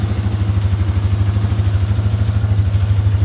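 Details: 1988 Yamaha Warrior 350 after new fuel line, started on choke: fires right up, even quick single-cylinder thump at idle with no valve tick, slight smoke from oil burning off exhaust; normal idle.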